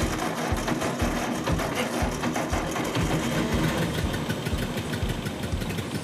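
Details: Ford 8N tractor engine after settings redone and timing advanced from 0 to 4 degrees BTDC; old four-cylinder chugging steadily at low idle, about two beats a second, firing evenly with no knocks; running normally.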